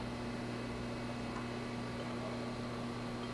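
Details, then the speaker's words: Chevalier Accugrind 618SP 6x18 hand feed surface grinder, built 2004, spindle started: very quiet, even hum with faint electrical drone, no knocks or rubbing; runs smooth. "Turn the power on and then actually start the spindle. It's very quiet, you can hardly hear it."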